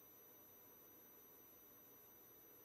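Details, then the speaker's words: Centipede arcade board under repair: with the watchdog disabled (shorted) the board no longer resets and gives a steady, unbroken high-pitched beep over faint hiss, and the display shows an H. "All right. Now, you hear it just constant beeping. And if I short the watchdog, it's no longer resetting, but we just get an H."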